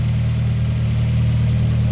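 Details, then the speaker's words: Toyota 4AGE 20-valve black top with individual throttle bodies, swapped into a Geo Metro/Suzuki Swift, started after long sitting: warm idle with a deep, even throb, no ticks or knocks. Sounds clean and healthy. MAP sensor vacuum hose noted collapsing. "Oh, she's purring. Look at that. Sounds good."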